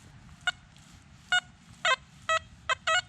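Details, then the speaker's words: XP metal detector, reactivity lowered from 3 to 1 over a trashy spot: six short tone bursts, longer, deeper and gruntier than at 3, signalling a target; sweep slower at low reactivity. "go slower when you go down. Go too fast, you miss it. So a little bit of a longer signal, but deeper and gruntier."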